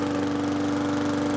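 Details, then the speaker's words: Briggs & Stratton push mower just after fitting a new Lo-Tone muffler (part 394569S): steady, even, smooth drone with no popping, much quieter than before. Normal running. "So definitely reduced the sound on the mower quite a bit. It doesn't sound like a helicopter flying through anymore"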